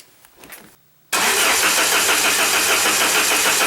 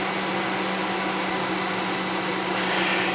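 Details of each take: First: 1994 Saab 9000 non-turbo, just after injectors were rebuilt with new caps and seals and flow tested: starter cranks evenly about 3.5 beats a second for nine seconds without firing, fuel rail empty and needing a few cranks to rebuild pressure. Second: 1994 Saab 9000, warm idle during idle diagnostics: steady airy whoosh and constant hum as the radiator cooling fan finally turns on and runs normally.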